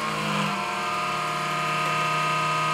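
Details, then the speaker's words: PC power supply fan running with a steady, loud whirring drone and a low hum that drops in pitch; the noisy cooler is fixed by cleaning dust and lubricating or replacing it. "because many fountains over time start to make annoying noise, then after a few minutes or a few seconds they stop making this noise"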